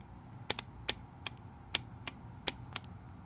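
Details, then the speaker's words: Honda Acty carburetor fuel shutoff solenoid tested on the bench, carb removed and grounded, 12 volts applied: sharp, crisp clicks as the needle pulls in; solenoid working. Normal fuel shutoff solenoid operation. "so as if I'm applying 12 volt power you can hear this needle down so that is a good sign"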